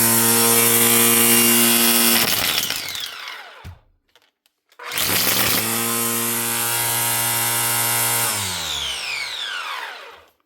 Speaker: But the main thing is the motor starts up every time you pull the trigger. She's got loads more power.